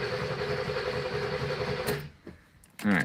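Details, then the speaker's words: Car on its first start in 30 years runs rough and lean for about two seconds, then stalls as it keeps running out of fuel. The cause is suspected fuel starvation, not confirmed. "i can hear it and feel it it's lame and um it keeps running out of"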